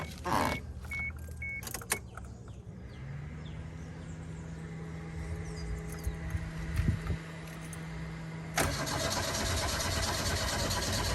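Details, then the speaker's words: Toyota Glanza parked since 2021; starter spins engine steadily with constant hum, never catches; owner checks fuel lines, suspects no current to fuel pump, not confirmed; cranks but won't start. "so what I'm going to do now is instead of checking from the engine I'm going to check it from here and see if any fluid comes out of these lines if not there is a connection error that mean no current is going going to the fuel pump"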